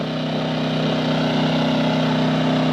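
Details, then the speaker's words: Engel 2500 W generator with eco throttle on (it idled back from full throttle), running the Truma air conditioner in a Jayco caravan: steady even mid-pitched drone at constant speed under load, no hunting, surging or knocks; running healthy. "So yeah, the Engel Jenny does work with the eco throttle on. I had it on full bore to start."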